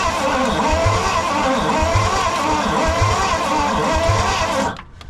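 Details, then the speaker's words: 1969 Pontiac Bonneville Safari wagon, 428 V8, parked since 1981, cranking with plugs installed before distributor work: slow starter cranking with an uneven beat, some compression strokes weaker; some cylinders still pretty low on compression, suspected not confirmed. "Yeah, you can tell that there's still some that are pretty low."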